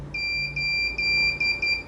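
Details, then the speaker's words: CCTV NVR/DVR after two power cuts took down the UPS and inverter: continuous high-pitched alarm beep with HDD error 5 because recordings are not saving to the hard disk. "Okay, hard disk ഡ്രൈവിൽ record ആവുന്നില്ല. Error number 5 ആണ് popup ചെയ്തേക്കുന്നത്. അതുകൊണ്ടാണ് ഈ ശബ്ദം beep beep അടിച്ചുകൊണ്ടിരിക്കുന്നത്, alarm അടിച്ചുകൊണ്ടിരിക്കുന്നത്."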